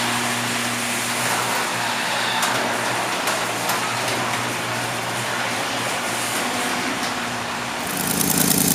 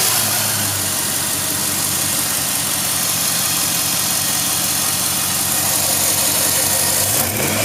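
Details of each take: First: 2006 Jeep Grand Cherokee 4.7L V8: idles with a loose, uneven puff, then revs into a loud, raspy roar; suspected exhaust manifold leak, manifold flanges then removed for repair. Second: 2006 Jeep Grand Cherokee 4.7L after exhaust manifold leak repair: steady, even hum with a smooth hiss and no puffing or ticking from the manifold, normal running.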